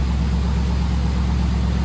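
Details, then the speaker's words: Inherited barn-find V8, after an earlier failed start where it sputtered and stalled, now warming up: steady, even low idle rumble, no knocking or missing, cleaning itself up; slight sticky lifters remain, otherwise runs nicely. "that runs nice"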